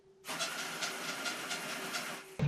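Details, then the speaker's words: Gen1 Axial 6x6 RC truck: high motor whine with quick rhythmic scuffing about five times a second, heard only with the wheels on the floor (fine held in the air), as the spur gear rubs the driveshaft; owner plans to replace the driveshaft. "the spur is rubbing on the drive shaft there so if i hold it up in the air like this it's okay but so they grow on the floor you hear that"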